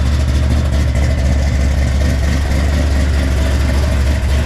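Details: Freshly built 454 big-block Chevy for El Camino, hydraulic roller cam, 10.2:1 compression, first run: loud deep steady V8 rumble, crisp but needs carburettor tuning; carburettor squirter spray pattern looks abnormal.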